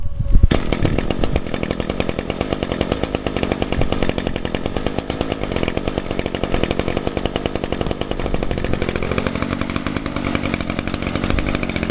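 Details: Echo SRM 225 two-stroke string trimmer, about two years old, cold start after a week unused, on choke with about 5 primes: catches after brief pull, settles into steady even fast-firing idle; runs clean and healthy.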